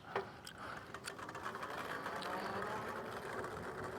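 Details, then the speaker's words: KBO Ranger cargo e-bike during a range test ride: light, irregular clicking ticks from the rear hub motor over the motor hum and road noise, intermittent but mostly at the motor; still runs, cause unknown and not found by the owner. "yeah definitely hear clicking out of the rear hub area it's not good I mean it's still running I I have no idea what's causing the clicking sounds"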